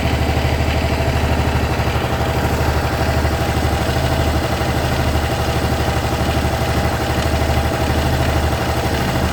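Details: Honda SH 300i scooter idling with a light, regular ticking over the low exhaust thump; the owner is sure something is wrong, though several mechanics said it is nothing.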